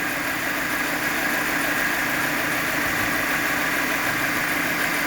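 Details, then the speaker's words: Chevrolet Spark 1000 cc at idle after reassembly following a radiator coolant spray on the engine wiring; an earlier belt-like chirp has gone, leaving a smooth, even idle with steady hiss; normal idle. "Nah, ini ee ini kalau kita ASNR ya e kita mendengarkan suara asli mesin dia seperti ini."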